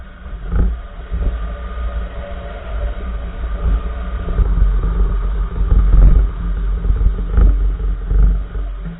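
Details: 2014 Nissan March, right front wheel: irregular dull clunks about once a second over steady road rumble while driving. Cause unknown.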